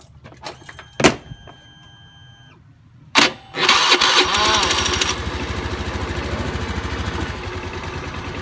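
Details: Honda Beat scooter after CVT service: short starter whir, engine catches at once and settles into a steady, even idle with no rattles; normal start and idle.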